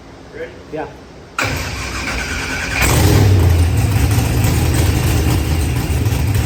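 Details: Procharged LS V8 with 12-1 crank trigger, starting after start troubles were fixed; cranks, catches cleanly, settles into deep steady idle that picks up slightly; normal start and idle.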